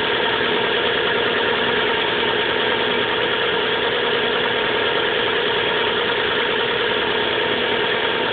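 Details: 1997 Subaru Legacy Outback cold-start idle with light uneven tapping knock; grew louder since winter, goes away after about 20 minutes driving warm, returns briefly when stopped and idling; cause unknown.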